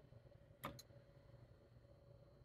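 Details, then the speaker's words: Samsung NE63B8211SS induction range burner on its lowest setting: two sharp clicks over a faint steady hum as the inductor kicks on and off, continuous from about setting four; normal low-power cycling. "if you have the burner on its lowest setting you'll hear the inductor kicking on and off we'll see if you can hear it hear this clicking"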